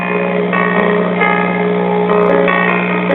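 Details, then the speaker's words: 1965 Zenith four-transistor AC-operated AM table radio, model M860W, first power-up: steady low drone under the audio that doesn't change with it; bad filter capacitor, to be replaced, signal still passing. "all right let's turn it on and give it a test sounds like we have a bad filter capacitor"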